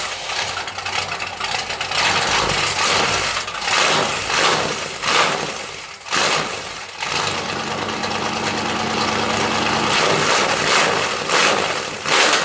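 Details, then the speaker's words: 1977 Pontiac Firebird Formula V8, first start after engine and transmission install, no antifreeze: loud raw open-header V8 fires up and settles into a choppy idle, sounds like a pulpwood truck, nothing alarming, charging with oil pressure. "There is no antifreeze in it. And it still sounds like a pulp wood truck, believe it or not."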